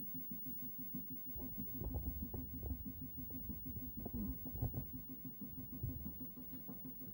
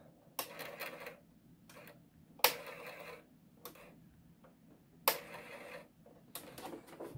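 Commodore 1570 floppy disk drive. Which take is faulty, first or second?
second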